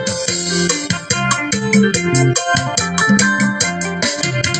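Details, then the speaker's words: Bluetooth speaker after replacing failed FT2705 amplifier IC that crackled at high volume, played over two minutes: music loud and full with no crackle, popping or breakup; working properly. "เดี๋ยวลองๆองเสียงลองเสียงมันจะดังมั้ยล่ะทีนี้น่ะเปิดรองมา2นาทีกว่าแล้วนะเพื่อนดังดี"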